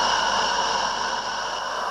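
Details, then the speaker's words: Roundhouse Lady Anne live-steam garden locomotive, first firing, raising steam (safety valve ~40 psi): loud steady hissing roar from gas burner turned too high, needs turning right down until very quiet. "So as you can hear, the fire's got a bit of a roar going on, so I'll just adjust that right down there. Doesn't need to be any more than a... there. Very, very quiet."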